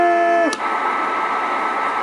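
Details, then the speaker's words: 138 XLR CB radio, all capacitors replaced, channel hack removed, sideband working; on AM a whistle drops into harsh steady static, no clean audio; AM fault, owner suspects an adjustment turned out too far, unconfirmed. "it's probably an adjustment it sounds like something's turned out too far"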